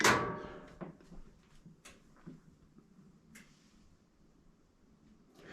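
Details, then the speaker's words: Frigidaire laundry centre washer with clothes loaded won't start: a thump, then two relay clicks as the lid locks, then silence with no motor or water; technician checks wiring at the back. "i can hear the relay is clicking it made two clicks and other than that it's not doing anything the door is locked it's just dead"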